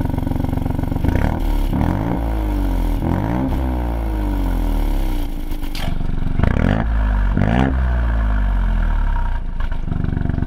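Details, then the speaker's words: 2020 Ford Fiesta MK8 ST with Scorpion GPF-back exhaust and Mountune M235, after fixing the rattling exhaust valve: engine blips up and down cleanly several times with no rattle or buzz, fix confirmed. "okay so as you can see from the video that's just been playing um yeah that that has solved the problem and and you could i think i could slightly hear rattling as well when when you revved it um before i fixed it"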